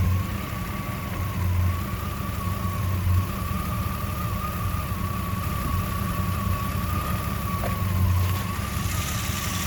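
Low idle with an uneven, loping pulse and a steady whine above it; it never settles into a smooth rhythm, a rough idle.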